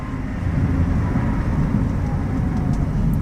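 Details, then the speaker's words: 2016 Toyota Sienna L wheelchair van, 61k miles, hard stop during test drive: only low road and engine rumble, steering wheel not shaking, no grinding or squeaking. Normal braking. "got a showing on the steering wheel there you can see it's not bouncing back and forth no front-end issues no grinding no squeaking nothing like that and"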